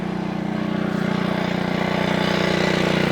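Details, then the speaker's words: Honda 553 HRS Pro mower with Honda GCV160 engine warming up: steady single-cylinder thump with a loose rattling edge on each beat; the grass flap is suspected, not confirmed. "It's got a bit of a rattle to it. And I think it's just the um I think it's just literally the uh um grass flap."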